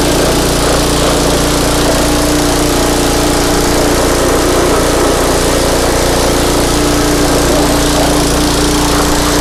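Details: Craftsman pressure washer, 5.5hp Briggs and Stratton Intek 190, gifted with run issues: steady high buzzing drone at constant speed, even tone, no knocks or misses after repair; run about 10 minutes to warm oil; normal running.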